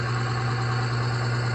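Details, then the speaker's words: Oil additive load tester running on oil treated with UHP Innovation HP shot, holding 12 weights: constant, even low hum with no chatter, squeal or grinding under load; bearing oil film holding, runs smooth. "Let's see how it looks. You can hear it, how smooth it is."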